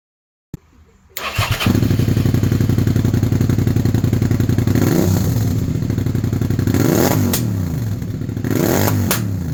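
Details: 2001 Suzuki SV650 that misfired after standing over winter: it catches, then runs unevenly with stumbling and sharp pops. Lean misfire and backfiring, probably from jets or ports blocked by stale fuel; fixed by stripping and ultrasonically cleaning the carbs.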